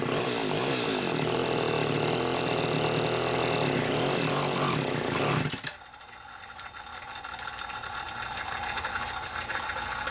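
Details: Super XL automatic chainsaw, said to run hot and smell hot, on ethanol-free fuel after a fuel line check: a raspy two-stroke runs at high revs then drops to a steady, even idle; normal running.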